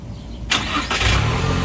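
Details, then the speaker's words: 2025 Toyota Tacoma TRD Sport Premium, remote start via key fob: quiet, then a short crank and quick catch into a smooth, even idle; clean normal start. "and the Tacoma just started."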